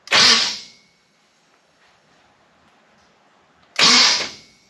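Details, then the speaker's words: Chevrolet Biscayne starter with 1/16 shim, distributor disconnected, car raised: two short high-pitched whirring bursts with no cranking beat, starter not engaging the flywheel; pinion likely too far out, smaller shim probably needed. "What? It's too far out. I think it's too far out. So I need a different shim? A little smaller shim, probably."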